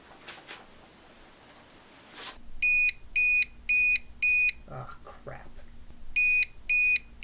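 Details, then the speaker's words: UPS battery backup with a LaserJet printer plugged in: sharp, high beeps in bursts about twice a second, a short pause, then more beeping; the overload alarm is sounding. "do not plug a laserjet printer into one of these UPS's because this is what will happen"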